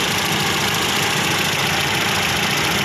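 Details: Toyota Vios 2NZ-FE petrol engine with no-power complaint; uneven stumbling idle under loud hissy wash, cylinder misfire suspected, cause unconfirmed.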